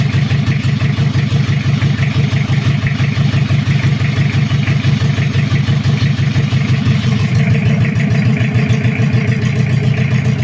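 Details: Toyota Kijang 2L diesel, cold, just after first start following an engine rebuild for oil burning, injection pump timing at the zero/standard mark: steady, even idle with regular clatter, no misses or knocks. Normal idle; oil pressure reported normal.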